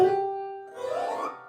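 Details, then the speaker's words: Old Bösendorfer grand piano, pedal set too high so dampers sit high: struck note keeps ringing after release instead of stopping; dampers not damping, fix is lowering the pedal. "They are not damping now. I have to lower the pedal a little so it's not singing with. They're not damping well here."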